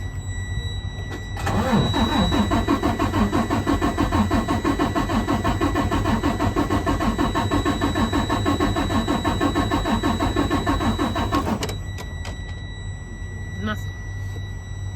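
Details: Freightliner Cascadia DD13 with code SPN 157 FMI 15, cranked after a new O-ring and a code reset: the starter cranks steadily for about ten seconds with even compression beats but never catches, a no-start from low fuel rail pressure.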